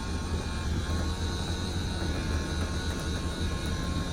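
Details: RV slide-out room after repair (rollers installed), retracting: steady even low drone from high-torque motor, no catches, bangs or surges; runs smoothly, shuttles must stay straight to avoid colliding.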